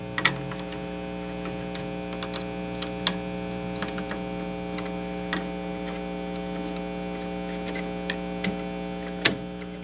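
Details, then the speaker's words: Vintage Ampeg V4 (VT-22) tube amp with hum, buzz and dead reverb, after its solder joints were reflowed and a guitar plugged in: the hum is more subdued, but a constant low hum and buzz remains under faint clicks. "the solder joints here i reflowed them anyway let's try plugging a guitar the hum seems much more subdued but you can hear a hum in the background for certain"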